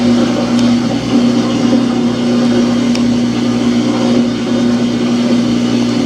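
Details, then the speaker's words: Samsung washing machine under a year old on spin cycle: steady motor hum, constant low tone, no spin-up whine, drum never reaches speed; not spinning, cause suspected but unconfirmed. "on the spin cycle and not spinning. Won't complete the cycle. Still not working. Spin cycle will not spin."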